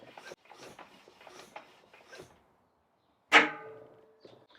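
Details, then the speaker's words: Tubeless tyre being inflated on an asymmetric rim before a rim insert is fitted: quiet fiddling, then one sharp ringing snap as the bottom section of the bead pops onto the bead shelf. "so i'm going to put some more air in and you'll see this bottom section here pop onto the bead you should also hear that satisfying little snap as it pops into place"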